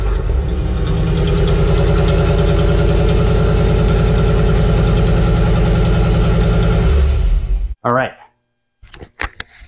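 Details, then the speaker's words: 1991 Camaro fuel-injected V8, first start after a year and a half rebuilding after an accident: catches quickly, steady low rumble with clean rev pulses, no knocks or misses, firing on all eight, healthy. "uh engine sounds healthy which I didn't expect it not to uh it's firing on all eight"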